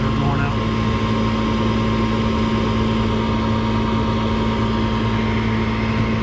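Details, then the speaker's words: Trane furnace, about four years old, in attic; constant low droning hum and buzz from the inducer (draft) motor vibrating, transmitted through floor to the bedroom below; suspected motor. "it doesn't sound horrible up here but below this room it really exaggerates itself feel it right under the bottom you got this block you've got this floor and then you've got the wall for that bedroom so it's noise transfer basically we're dealing with"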